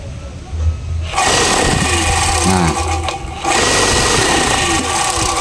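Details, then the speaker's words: Electric air compressor that only hummed, capacitor good, piston/bearing found stuck and short of oil: after lubrication the motor kicks in after a second and keeps a steady busy chatter, spinning freely during a brief test run. "Tapi saya kira ini masih aman ya, Teman-teman. Dia cuma kekurangan oli saja. Kekurangan oli saja. Dan ini sudah bisa mutar."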